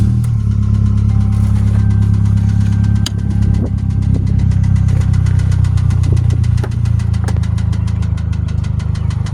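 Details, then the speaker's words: 2001 Pontiac Grand Am 2.4 LD9 twin cam still knocks after a rebuild (rod and crank bearings, balance shaft, timing chain, guides, oil pump): sharp light tap about three per second over idle. Owner suspects a wrist pin, not a lifter. "So, for this unit here has a rod knock. It still has that rod knock."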